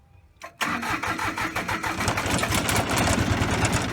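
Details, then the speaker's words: Bolens diesel tractor at 16 hours, first start after an oil change: starter cranks briefly, then the diesel catches cleanly and settles into a steady clatter with a rising, even idle. "Alright guys, I'm 16 hours. First start after oil change 2 years."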